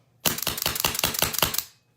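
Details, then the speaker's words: Autococker paintball marker with LPR being raised in quarter turns; slapping sound means pressure still too low, versus the desired muffled sound. About seven sharp cracking shots in a second and a half, each slappy; low-pressure regulator set too low. "Okay, so that's that sound I was talking about. You hear that slapping sound?"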